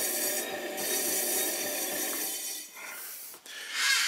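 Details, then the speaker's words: Cheap Chinese pottery wheel spinning under pedal control: light raspy rubbing with a faint intermittent high squeak as the wheel turns, though it is not described as noisy overall. "you will hear it making certain squeaks and rubbing"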